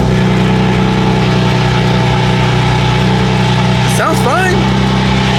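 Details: BMW that began misfiring after doing donuts, with a check engine light. Owner wonders whether Christmas lights drawing battery power were involved. Steady, even idle with a low hum and no skips. Normal idle.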